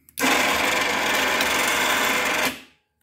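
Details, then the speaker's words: Badland winch after checking solenoid wiring, a loud click when extend is pressed, then a steady high-pitched motor whir for about two seconds; working normally. "go to extend you can hear it clicking that's what you want to hear a loud click that means it's working i'm going on the extend"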